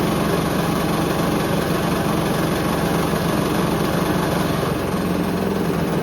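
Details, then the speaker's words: Hoover Link HL1682D3 washing machine in spin: loud constant clattering rattle over a steady drum roar, the whole cabinet shaking hard, though it still works. "I think we get the message it works that's Extremely Loud honestly I was he's quite insane um I could barely hear the mic I could just hear the whole machine just rattling"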